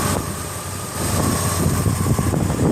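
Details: 1987 Buick Grand National, one owner, 30k actual miles, petrol V6, after the owner tightened a smoking valve cover bolt: steady low idle with even rumble and faint high whine, running normally; slight muffler rattle noted.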